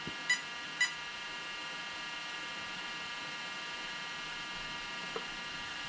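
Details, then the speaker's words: Arrma Kraton 8S ESC: groups of short high beeps over a quiet hum, the three-beep sensor loss code per the chart; the owner suspects the 2028 motor is broken inside, as the gears are fine. "so three beeps one two three sensor loss i really think rc guy garage is correct it's inside this motor"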